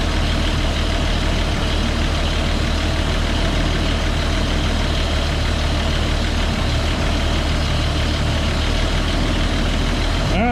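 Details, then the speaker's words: Military CCKW truck with carburetor, started with choke and warmed up; smooth steady idle, even speed, no puffing or ticking and no exhaust leak heard, a healthy idle. "Sounds good. Yeah, it does."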